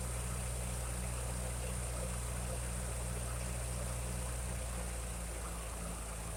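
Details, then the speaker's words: 1956 Ferguson TO35 tractor after water was drained from the fuel tank, sediment bowl and float bowl: it had stumbled at idle before, and now settles into a steady low rumble at about four even beats a second with no misses. "And seems to be doing pretty good there."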